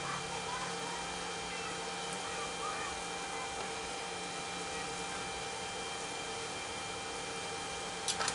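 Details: DJ fog machine on test: only a quiet, steady hum from the fan beside the heating element, pump buzz never comes in, no fog; owner suspects pump not working; pump not running.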